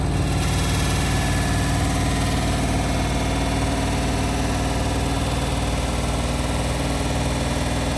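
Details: Indesit WIL143 washing machine on final spin at 1400 rpm: loud steady drum roar with a low, uneven rumbling throb about four per second; strange abnormal spin noise, cause unclear.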